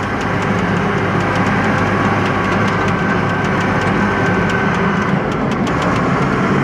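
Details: Forty-year-old John Deere 862 scraper diesel, driven in fourth gear (second switch only): steady, even drone with smooth low rumble and no knocks, grinding or whine; normal running, unlike the noisy fifth gear.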